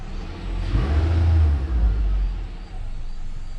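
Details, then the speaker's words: 2014 Nissan Altima 2.5 SL, QR25DE 2.5L, after P0014 code repair with the solenoid reinstalled and code cleared: engine picks up cleanly through a quick rev and settles back without stumbling or knocking; idle okay, runs healthy. "Doesn't seem to be too stumbly. Alright, she's looking alright."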